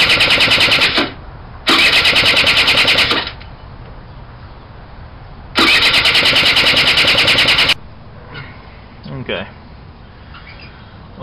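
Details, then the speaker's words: Suzuki Quad Sport 80 ATV that has been sitting for a while, before carburetor cleaning: the engine catches and runs in uneven bursts, then stumbles and dies between tries; running rough. "this thing's been sitting for a while and uh it's running real rough I'm going to I'm crank it up a little bit that way you can take a look at it"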